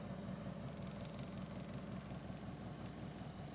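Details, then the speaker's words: Car idling with handbrake on, no dash warning lights: steady idle with soft, somewhat uneven low thump just under two per second, felt through steering wheel; idle thumping, cause unknown. "you can I can hear it I can feel it through the steering wheel a bit of a thumping kind of noise sound thing"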